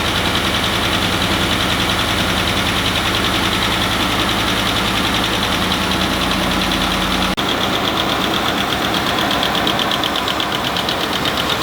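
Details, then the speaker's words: 2019 Ford F-150 direct-injected 5.0 V8 idling with a steady light tick, traced by stethoscope to the driver's side left bank; suspected rocker or lifter failure, not confirmed; suspected lifter tick. "Today we have a 2019 Ford F-150 that's exhibiting some of the telltale signs of lifter tick."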